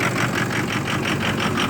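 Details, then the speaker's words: 2006 Ford F250 6.0 Power Stroke with a hard start and loss of power, cold after 5-5.5 hours on the block heater, phone on the steering wheel, fuel pressure just over 50 psi: lumpy, choppy surging about four times a second; rough idle, cause unknown. "put the phone down on the steering wheel it's running rough"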